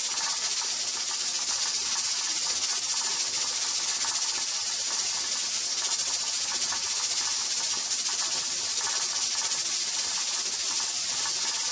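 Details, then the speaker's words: Pressure canner processing tomato sauce, heat already cut to almost medium and being lowered further: loud steady hiss of escaping steam with a fast, even jiggle of the weight; regulator still rocking a little too fast. "To me, it seems like it's rocking pretty well, but I feel like it's rocking still a little too fast. So I'm going to cut my heat down a little bit more."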